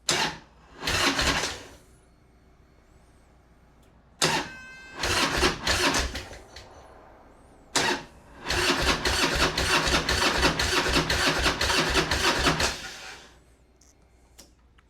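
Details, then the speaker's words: 2004 Harley-Davidson Road King, 88 ci Twin Cam, unused about 5–6 years, no primary fluid and derby cover open; three cranking bursts, the last a long even churn of about three beats a second, starter spinning it strongly until it starts. "it cranks. I'm him. Two Crossy Road Kings started today."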